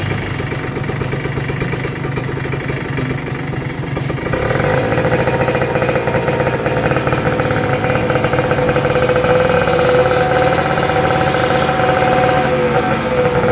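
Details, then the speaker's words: Kawasaki Ninja RR 150 two-stroke after service for heavy pull, stuttering and a sticking power valve: crisp, steady idle that rises slightly and holds evenly without stumbling or popping; normal idle after repair. "Oke Guys mantap jadi settingannya udah selesai dan ini yang saya rasakan perbedaannya jauh banget jadi powernya udah enak dan suaranya juga nyaman ya"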